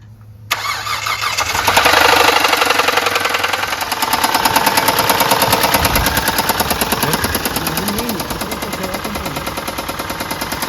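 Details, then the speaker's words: 2004 Hyundai Santa Fe 2.7L that developed a horrible tapping over 48 hours; Rislone treatment with an oil and filter change being tried: cranks, catches, then idles with a steady fast light tapping of about three per second; valvetrain-type tick. "and then it developed a horrible noise a horrible tapping over the past 48 hours it's not going away"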